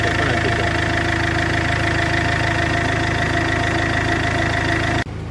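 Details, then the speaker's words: Iveco 2.3 16v diesel at idle with a damaged turbo: constant metallic rubbing and scraping over a steady idle, the burst turbo wheel hitting its housing wall. "reventado. Porque tiene reventado. ¿Sí? Mira, mira, sí, está pegando contra la pared."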